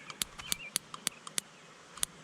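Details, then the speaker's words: Farmall Super C tractor unused about 25 years, original coil, points cleaned with crocus cloth, power on, points flicked with screwdriver: sharp crisp spark snaps in bursts about four a second; points working, healthy spark. "I don't know if you can see that spark, but you can hear it. Anyway, points are working fine, so we'll put it together and work on the gas now, because the gas tank is empty and I don't know if the carburetor is going to have trouble."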